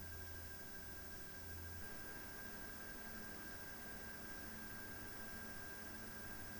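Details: PowerColor Radeon RX 7900 GRE Fighter graphics card on an open bench: quiet steady rush of air from the cooling fans with a faint fixed metallic whistle, no ticking or rattle; normal fan noise.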